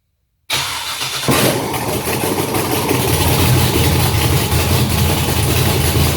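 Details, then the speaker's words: Junkyard LS 5.3 V8 on an engine stand, run briefly with no coolant, cranked by its original starter via a power probe, catches quickly into a steady, even idle with no knocks or stumbles; healthy. "Sounds good. And we have a runner. So I think the thing sounds pretty good."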